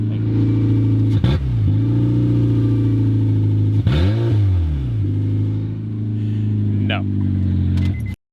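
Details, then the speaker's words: Honda Civic with exhaust removed, only catalytic converter and no pipes before fitting a cat-back exhaust: loud, deep raw drone at idle with booming blips on each rev; open exhaust after the cat. "Of course, with any exhaust work, especially when you have like no pipes and only catalytic converter, you have to see what it sounds like. loud."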